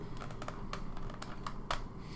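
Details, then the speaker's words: Kodak S100EF film camera hand rewind: light uneven ticks as crank turns, film snapping over the sprocket near end of roll; normal rewinding, nothing wrong. "And as I come to the end here, you can kind of hear that film clicking in back into that sprocket, and you'll kind of hear it flip right across, and you just want to keep turning and turning until you can't feel any more tension."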